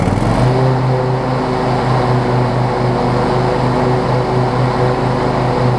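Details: Husqvarna YTA24V48 riding mower, built December 2016, 61 hours, after an oil change and a fix for an oil leak from a loose filter: V-twin catches within half a second, then holds a steady, even low drone with no misses or knocks; normal running.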